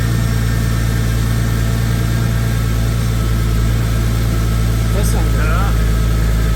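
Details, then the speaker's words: 2002 Porsche Boxster S 986 M96 engine, first start after camshaft timing chain guide rail replacement on bank 2 done with engine in car; steady, even, smooth pulse with no knocks or ticks, some residual oil smoking off. Normal running. "And you're just gonna fire it up. Sounds really good."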